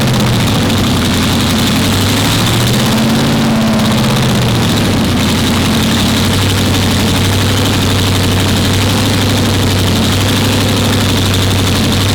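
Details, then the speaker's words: Nissan Skyline R34 with a 416 LS stroker V8, Kelford camshaft, 871 supercharger and Holley Hi Ram: deep loping idle with a steady uneven hunt and blower whir on top, settling down. A healthy big-cam supercharged idle. "You hear that supercharger hunt coming at you, it is the most unbelievable sound."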